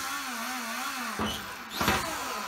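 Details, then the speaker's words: RC car with Castle Mamba X ESC, sensor wire unplugged: smooth steady motor whine with quick clean bursts forward and reverse; normal response, whereas plugging the sensor wire back in makes it malfunction; other noise is the servo. "if i unplug this sensor wire here unplug that it works perfectly oops maybe i shouldn't maybe i should have left that in the car but it works perfectly forward reverse"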